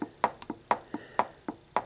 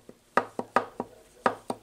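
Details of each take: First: VW transaxle, ring gear rocked by hand after setup, 90-weight oil: light, crisp metallic ticks about four a second with slight visible movement. Backlash sounds right; the specified clearance is 0.007–0.010 in. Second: VW transaxle being assembled with custom close-ratio gears: sharp, uneven metallic clacks as the gear is rocked back and forth, too much ring gear backlash, so it needs re-shimming.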